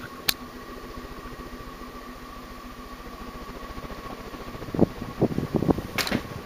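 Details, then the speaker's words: 1984 Guibb GE Vent 107 cm (42-inch) direct-drive ceiling fan, made in Taiwan, running on high: a steady hum with a soft rhythmic beat from wobble and a few knocks. The wobble comes from bent blade brackets, and the bearing noise persists despite oiling. "okay so um here it is on high speeded wobbles a lot because the brackets are bent in different ways you know"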